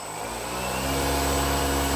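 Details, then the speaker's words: RC plane motor at half throttle, restrained on the bench, with a flat T-shaped three-blade propeller and counterweight, statically balanced; steady low buzzing hum with thin high whine, rough vibration from propeller imbalance. "So yeah, I'm at half throttle right now, and that is, yep, quite a bit of vibration."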